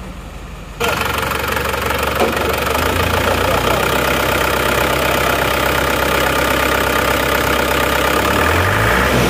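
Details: Diesel engine after cylinder head repair for coolant bubbling, fast coolant loss and overheating from compression leaking into the radiator; started slowly, likely empty injection pump, then settles into a steady, even idle with regular clatter, no misses or knocks.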